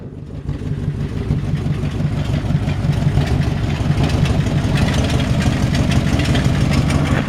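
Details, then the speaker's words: 1952 Ford F1 flathead V8, cold start at about 38°F with choke pulled: rough, low idle with a puffing, ticking chuff on each firing pulse; exhaust leak. "got a little exhaust leak as you can hear from just from listening right here"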